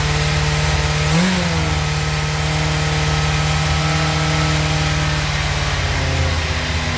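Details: 1996 Suzuki GSX-R 750 SRAD, carbureted, previously a no-start, fuel pump reconnected, started on choke with no throttle: it catches and holds a fast steady idle well above normal. Cause: idle adjuster set too high, then turned down. High idle.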